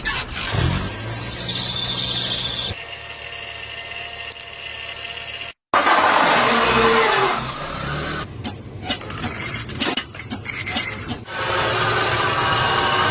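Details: Car suspension being diagnosed: sharp high squealing in repeated bursts over a faint engine, a creak suggesting a dry suspension joint.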